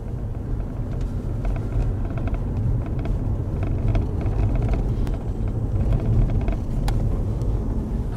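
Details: Toyota Crown Athlete 200-series while driving: light irregular clicks over road rumble, owner suspects loose trim near passenger side or door panel; source not yet found.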